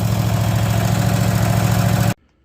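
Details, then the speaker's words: Cub Cadet mower engine running after starter and starter solenoid replacement and cleaning of the coils and magnet for a no-spark fault; steady, even low putter at idle with no misses, warming up before an oil change. "I replaced the uh starter solenoid and then I uh cleaned up the the magnets and there you go she's running I'm going to let it warm up"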